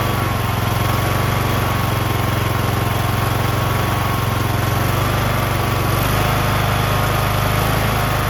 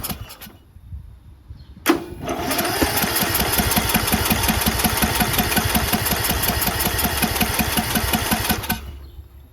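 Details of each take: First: Briggs & Stratton 19.5 HP engine on John Deere LA110 lawn tractor, after rebuild, replacement carburetor and idle screw adjustment: smooth, steady drone with even beat, no misses or surging; normal idle, runs great. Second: Briggs 19.5HP engine on a John Deere LA110 lawn tractor, fuel pump confirmed working, possibly flooded: steady starter churning near three strokes a second for several seconds, never catches; fuel in the bowl not rising up the emulsion, dirty carburetor.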